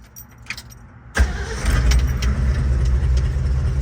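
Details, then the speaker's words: 1967 Ford Bronco U15, original 289 V8, three-speed manual, after carburetor change, points service, new starter and alternator, stored nearly 20 years: quick start into steady deep even idle; runs great, no smoke. "Now it runs and drives really well. Motor sounds great. And I'll fire it up, have you guys hear it."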